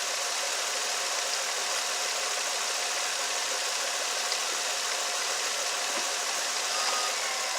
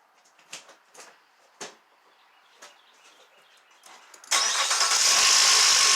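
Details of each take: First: Nissan Altima with a P0300 misfire code, after new NGK double platinum plugs, idling in reverse against the brake under load. The idle is even and steady with no stumbles or skipped beats: normal idle under load, no misfire. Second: Nissan Altima with P0300 misfire, after new plugs and intake reassembly, at startup: quiet clicking then harsh metallic rattle staying loud; owner suspects timing chain needs replacing or lubricity issue, not the misfire cause.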